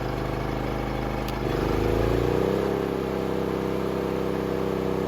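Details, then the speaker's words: Honda EU2000i inverter generator after full carburetor and fouled fuel system repair, in eco mode under 1500 W load: steady even hum rises briefly as load hits then settles smoothly without hunting or surging; normal running under load. "1500 watts no problem in echo mode everything's working perfectly now this fuel system is fully repaired"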